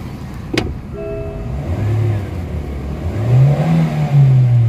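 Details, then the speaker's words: MG (Morris Garage) engine with only 7,000 km, revved from the dashboard to 3,500–4,500 rpm. The revs swell slowly and lazily with a low drone, showing throttle delay and weak pull. Poor compression is suspected, and an XADO atomic oil treatment is planned. "Kita nyo yung galit ng makina, nasa 3,500 hanggang 4,500. So delay masyado yung ano guys, pero although maganda yung makina niya, pero pangit naman yung kanyang compression. So ibig sabihin delay."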